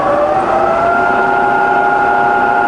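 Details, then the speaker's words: Bridgeport milling machine, variable speed head, 42-inch table: spindle in reverse wound from 140 to 20 rpm, clean steady whine with smoothly shifting pitch, no knocks or grinding; running great. "20 all running great right back to high range"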